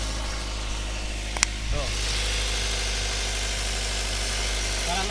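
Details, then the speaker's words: Toyota Avanza petrol engine, earlier described as rough, now idling smooth and steady with no knocks or ticks; engine internals judged fine. Normal idle. "alhamdulillahnya ini mesin masih halus aman masih aman"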